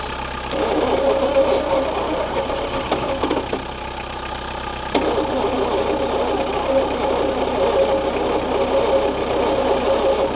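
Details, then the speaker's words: 1972 Bedford J series truck, long-sitting old petrol engine, fed fuel into carburetor bowl: uneven, lumpy running with irregular knocks and harsh rasp, only running when fuel tipped in; rough running with knock. "run. Doesn't sound real healthy. The old engine. She's still only running off when I tip into her."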